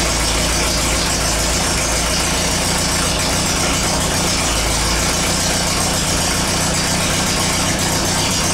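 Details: Air-cooled VW after transmission work: even, steady engine note through the gears; all four forward gears and reverse shift with no grinding or crunching.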